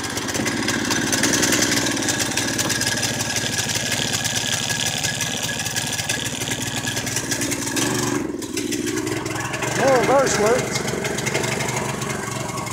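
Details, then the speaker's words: 212 Predator engine in a golf cart build with a torque converter, on its first run: it runs ragged, dips out near eight seconds, then catches again, stumbling and stalling. The owner blames low fuel and carburettor issues. "yeah that carburetors just jumped me at the water I knew that I just don't have enough fuel in there to keep it running"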